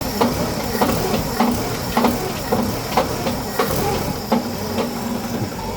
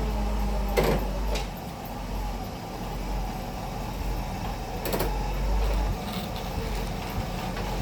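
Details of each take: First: 1963 Pontiac at steady idle: sharp regular knock roughly every 0.6 seconds from a cracked flex plate clattering at the back of the engine; cracked flex plate knock. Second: 1963 Pontiac idling after its loose bolts were tightened. Low, steady rumble with the earlier crank-like knock gone; normal running.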